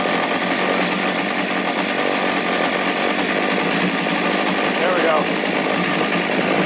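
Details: Poulan P3416/P3314 chainsaw idling outside after cleaning, hose replacement and a carb rebuild with a HIPA diaphragm kit: even two-stroke buzz that holds steady without stumbling or surging; saw idles cleanly.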